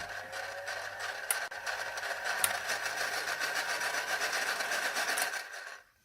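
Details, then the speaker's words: Old Philips hand mixer before maintenance: steady motor hum with dry raspy chatter about four per second; gears grinding from lack of lubrication, fix is greasing with vaseline. "this is a lack of lubrication the best one to use is normal vaseline"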